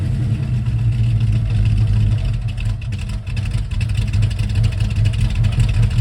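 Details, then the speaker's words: 1971 Mercury Comet GT V8 with a small roller cam, backed off a trailer: rough chugging, down on power, with loud uneven clacking over the rumble. Failed roller lifters shed needle bearings into the oil; bad cam also suspected. "You'll hear how bad it's running. You hear it chugging too. Yeah, it has a small cam in it, but it doesn't sound good."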